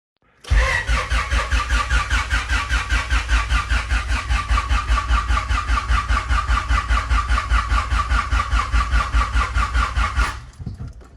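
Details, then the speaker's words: Freshly built Honda H22 in a CB7, open header, injectors and distributor disconnected, cranking to build oil pressure: even, steady cranking about two and a half compression pulses a second, no knock; normal cranking, battery weakening. "Sounds healthy. Sounds like it's about to not have enough juice."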